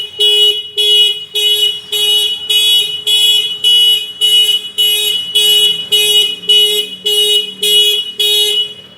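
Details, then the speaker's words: Kawasaki Ninja 250 FI twin with aftermarket touch-sensor anti-theft alarm: ignition on without touching the sensor, after five seconds a loud shrill siren pulses nearly twice a second and the engine won't start; alarm triggered, blocking starting. "Coba kita starter tidak bisa nyala dapat lima detik alarm akan berbunyi Saint hajar menyala"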